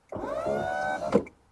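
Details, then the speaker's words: 1973 Lotus Europa door with a newly fitted GM electric window motor (same as 1970s Cadillac/Corvette) and a fixed regulator. A quick, steady motor whine of about one second top to bottom ends in a clean thunk; window works properly. "The windows are faster than the car. Right. Yeah, I think it's like 1 second top to bottom."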